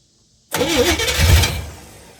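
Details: 1971 Camaro Z/28 barn find, sitting for years, after timing adjustments and with coil-wire power problems in the harness; the V8 fires at once with a quick rev and settles to a steady rumble: normal start.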